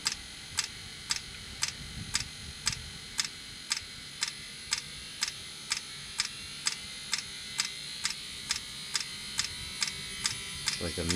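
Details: 2016 Mercedes Sprinter van (2.1 L four-cylinder diesel) diesel-fired coolant block heater running, set with defrost heat; its fuel pump ticks crisply about twice a second over a faint hum, sometimes smokes; normal fuel pump ticking.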